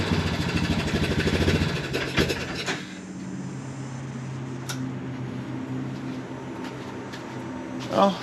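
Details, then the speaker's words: Early-2000s Honda Recon ATV single-cylinder, second quad, after cleaning sludged carb and gas tank: uneven chuffing beat runs a couple seconds then sags and fades, won't idle; owner suspects the carb isn't letting in the correct amount of fuel. "at least it runs got some fine tuning to do didn't really want to idle"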